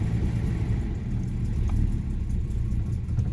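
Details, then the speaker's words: 1975 Jaguar XJ6 coupe (XJC), US California spec, six-cylinder, after sitting, cold start: deep rumble struggles to hold idle, uneven and wandering, held around 1500 rpm; over-choked, choke fault suspected. "Doesn't really want to idle. Definitely over choking a bit."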